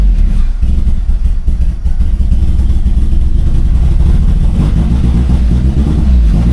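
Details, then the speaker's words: Turbo Toyota Corolla after fuel pump priming: cranks and catches briefly with uneven low chugging but never settles into a run. No start, no check engine light, cause unknown; possibly no fuel. "Like, it sounds like it's like so close to starting and then it just doesn't want to start. And like, I have no check engine lights."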